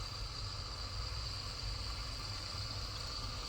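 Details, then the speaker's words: Daikin inverter AC indoor unit during PCB repair for over-current error, board powered on: quiet steady hum with faint constant high whine, no rubbing or clicking; indoor fan motor running normally. "आप इसकी आवाज़ सुन सकते हैं, indoor की motor हमारी on हो गई है।"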